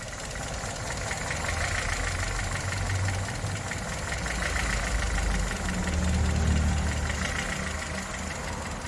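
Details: 2011 Chevrolet Spark idling after starting, engine shaking and stalling silently at stops and low speed: uneven, loping idle with rpm rising and falling as cylinders drop in and out. Fuel and intake faults found, heavy carbon buildup cleaned, injector learning done.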